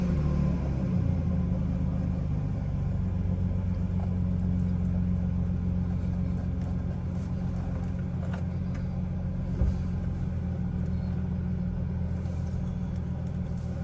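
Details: Chevrolet Silverado with a nearly dead battery: deep low rumble at idle that lurches and wavers irregularly rather than holding steady; very rough idle.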